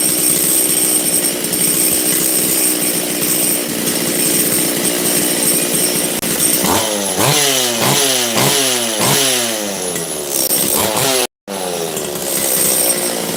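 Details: Makita DCS540 two-stroke chainsaw after low-jet and choke adjustment. It holds a rough idle, but every throttle blip bogs and falls back; the lean high-speed jet needs richening. The owner thinks it possibly needs a carb kit.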